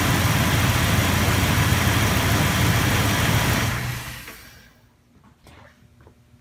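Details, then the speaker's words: Truck engine cranks and starts strongly after 24 hours on a Topdon Tornado 4 A charger, settling into a steady, even idle with no knocks or misses; battery previously wouldn't hold charge beyond a day. "okay that sounds like it started up really strong"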